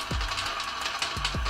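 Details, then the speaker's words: CremaLoop electronic slow feeder on a variable-RPM coffee grinder at about 700–800 RPM: steady gritty grind with a tick and thud as each bean drops, the burrs clearing fully between drops; normal grinding. "you can hear complete grinding in between each drop in fact I might be able to go a little bit slower even at 700 RPM it's able to clear the Burrs between each beam drop"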